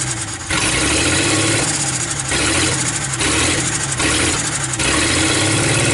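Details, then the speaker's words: 1949 Dodge business coupe, old six, first start in 20 years, no radiator: rough idle with a surge and dip about once a second, skipping a little; stuck valves suspected, not confirmed. "she sounds like she's might be skipping a little bit but uh there's probably some valves stuck"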